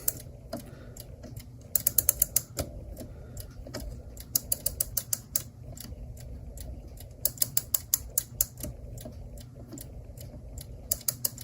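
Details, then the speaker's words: Clock, after bending the spring back for tension and reassembling: quick bursts of crisp ratchet clicks as the key turns, each catching cleanly; mainspring holding wind. "Well, it's holding a wind. We'll let it do what it wants to do."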